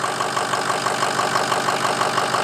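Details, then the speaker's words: Ford F350 6.0L diesel after a long crank-no-start repair, running with no coolant in it: steady diesel clatter with an even, regular beat at idle and no misses or knocks; engine running smoothly. "Wow, check this out. It runs good. Very nice."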